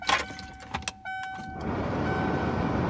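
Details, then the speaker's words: Ford 7.3L diesel F250/F350 glow plug relay with key on: quick chattering click about four times a second instead of one solid clunk. Failed glow plug relay. "so you can actually hear it quickly quick quick quick quick that usually means you have failed realized"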